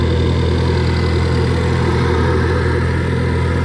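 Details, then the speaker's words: Manual Focus ST just after installing a single catch can, started and idling before warm-up: steady even idle rumble with a strong airy intake suction rush, no knocks or misses; surprisingly loud intake noise. "Wow, that's a lot of suction noise from the intake. I didn't know."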